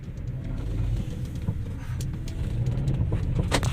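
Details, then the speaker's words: Geely Emgrand GS at 80,677 km, driven over a rough road: deep road rumble with irregular sharp knocks from the whole chassis. Shock absorbers are suspected; the right front stabilizer link ball joint was found loose, but it is not the main cause. "我去，这个异响的声音还有点大啊，感觉好像整个底盘都在响，听到没有？减震器的声音啊。"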